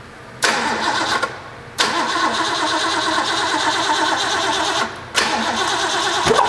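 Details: Rebuilt Ford 351 Cleveland V8 from barn-find 1972 De Tomaso Pantera, first start with oil pressure and spark: repeated cranking bursts, spins steadily but never catches; ignition timing found 180 degrees out.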